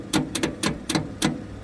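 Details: 1969 Ford F100, long sat unused: five sluggish starter clunks, about three a second and slowing, no firing after cables were replaced; battery weakening, ignition module suspected, not confirmed.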